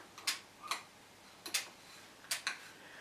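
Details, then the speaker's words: Mesa Boogie Triple Rectifier Solo head, about 2004: single crisp relay clicks and quick pairs at each press, with no fast oscillating chatter; normal relay channel switching when the button is not held down. "i'll go to two and turn on the effects button so to speak it switched and it switched on the amp"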